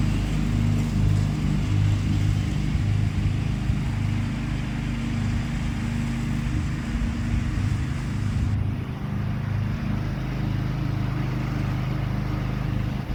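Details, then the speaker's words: John Deere 325 lawn tractor mowing after a push-button start was installed to replace the failed ignition key switch; steady, even low drone under load, no misses or knocks, engine running healthy. "Well, everything seemed to work fine."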